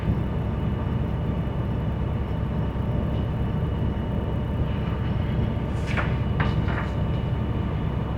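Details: School bus diesel at high idle during the brake check: a steady, deep rumble, smooth and even, while the air system builds pressure toward 120–140 psi cutoff. Normal.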